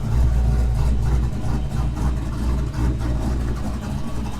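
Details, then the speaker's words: Foxbody Mustang idling after a new 255 lph fuel system with -6AN lines, first run in a while: steady even low rumble with no knocks or misses; check engine light on, oil pressure good; normal idle. "Sounds good. I don't know what the engine light is for, but I have to do a diagnose it, check it out. Sounds good though, guys."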